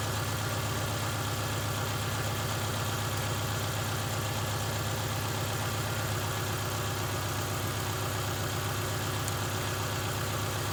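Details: 2000 Subaru Outback 2.5 L boxer four-cylinder after replacing a non-charging alternator, charging 14.4–14.45 V. Steady, even engine hum at a constant pace with no knocks, squeals or misses: normal running.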